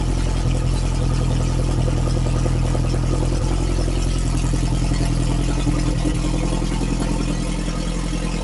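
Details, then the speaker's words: Freshly refreshed Lotus Esprit engine, cold (about 30–40°C, not fully warm): loud, steady fast idle with an even low drone and no clatter or misses. Timing is set; the Bosch system and air-fuel ratio are still to be tuned. Sounds healthy. "She is cold, cold, cold. And uh I imagine it's going to idle high to begin with, but uh let's let's turn the key and uh hear some thunder."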